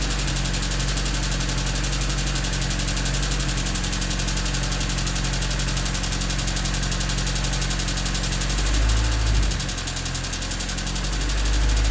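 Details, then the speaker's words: Honda D16Y8 engine at idle with idle issue, new header: fast light chatter about four ticks a second, faster with throttle; stethoscope places it at the head near cylinders 1 and 2, owner suspects valves rather than rod knock. "So as you can hear, it's still chattering quite a bit, and it gets faster as the throttle opens up. It still sounds a lot like valves to me, and with the stethoscope, the sound is primarily coming from the head around cylinders 1 and 2, which gets me thinking it's probably the valves and not a rod knock."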